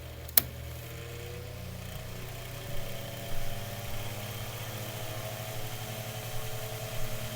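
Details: Mainstays 9-inch high velocity fan after oiling and blade balancing service: steady motor hum steps cleanly up in pitch switching from medium to high; smooth, even, no rattle or scrape, normal speed change.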